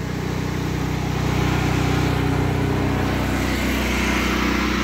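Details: Predator 8750 gasoline generator running inside a ventilated shed after over two years of use, full tank; steady even drone with smooth low hum and constant exhaust fan note, holding speed; normal running, shed reduces noise.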